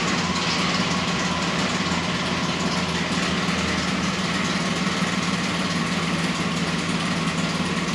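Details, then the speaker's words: Ford Explorer off-road build at idle: rough, harsh running with a loud ticking knock from the top end. Compression about 120 on three left-side cylinders versus 180 on the right; piston striking a valve, and the engine is done. "so now you guys got through the Explorer here exactly what it sounds like it sounds terrible it's making a bad ticking sound knocking basically um it does have low compression on three of the cylinders"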